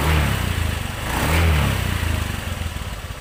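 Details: 2017 Honda Beat ESP (Beat FI) scooter whose complaint was a rough noise from the rear wheel/final drive: the engine rises and falls smoothly with the throttle, with no grinding or rattle from the rear drive, and it runs healthy.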